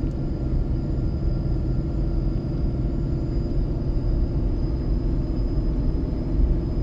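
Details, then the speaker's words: Ford 6.7 Powerstroke with MPD compound turbo kit, towing its biggest load yet on a long descent in second gear near 35 mph, third of four tunes: a deep, steady low drone without surging as the exhaust brake holds firmly, harder than stock. Normal. "we'll see if the exhaust brake can hold back seems to hold back harder with this turbo on here than it did when it was stock"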